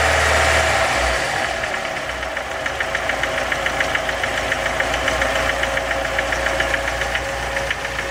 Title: Стук в двигателе РеШН